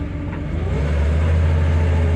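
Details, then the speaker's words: 1961 Chevrolet Corvair automatic, in drive after warming up about a mile, choke out: engine drone climbs then holds while the car barely picks up, with a whirring whine; transmission slipping in first, warm thinner fluid suspected. "Put it in drive. See it's kind of slipping and making I don't know if the phone is picking it up, but making kind of a whirring sound."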